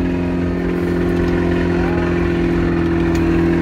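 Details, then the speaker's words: Turbo Mazda Miata (1.8 engine) idling: a fast, light, steady ticking over the idle hum despite oil pressure, and the owner believes the engine is blown. "you guys can hear the mad ticking I don't know what's wrong"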